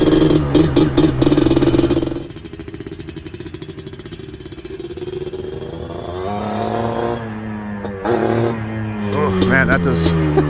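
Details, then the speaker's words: Freshly built Yamaha Blaster two-stroke started in a warm garage without choke runs heavy, muffled and blubbering, bogging on throttle. Owner suspects it is rich and choked by the airbox; jetting needed, and removing the airbox lid changed the sound markedly. "and I think we're rich and it's really getting choked down by that airbox"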